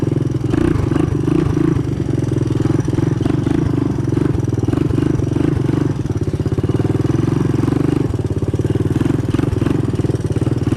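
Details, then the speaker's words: 1985 Honda ATC 200M single-cylinder three-wheeler on a new aftermarket Chinese carburetor, first run in a year or two: steady idle with light, quick ticking on each firing stroke from the front valve; valve clearance too loose, needs adjusting. "You can probably hear that front valve there. I gotta adjust the valve clearance, but keep in mind it's the first time this has been running now in a year or two."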